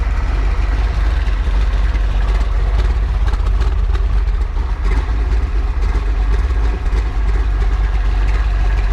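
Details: Freshly built 408 stroker small-block Ford Windsor on break-in oil, warm: deep, steady idle with an even lumpy beat and no knocks or ticks; fresh engine idling cleanly.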